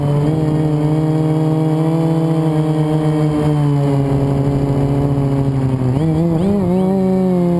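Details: FPV drone in flight: shrill motor whine climbing and dipping with throttle, rough unsteady edge on pulls, twisting at full throttle; one motor's bearing bad, later fixed by oiling, spare bearing and careful reassembly.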